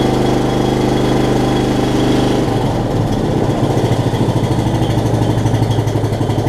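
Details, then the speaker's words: Ride-on mower with variable speed transmission after carburetor replacement, new carb's low-side jet drilled out to 10 thousandths (was running way too lean): single-cylinder engine cranks up and settles into a steady, even beat without stumbling or surging; runs beautifully. "It runs beautifully though. I mean, I can crank it up for y'all for just a second."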